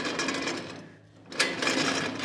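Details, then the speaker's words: Old Kity 1619 table saw's sliding carriage moved along its rail: gritty, uneven rumble instead of a smooth glide; owner suspects the bearings and rollers, plans to tighten, grease or replace them. "we have a sliding rule that goes it was another meter if we need it it's a little bit here it's not very smooth"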